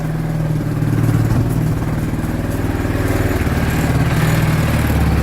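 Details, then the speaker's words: 2013 CF Moto Z6 at 32 degrees after a new starter cured no power to the starter; it starts right up into a low, steady putter about four beats a second with no knocks or rattles, a healthy idle. "That's beautiful. It's 32 degrees out. She started right up with that new starter."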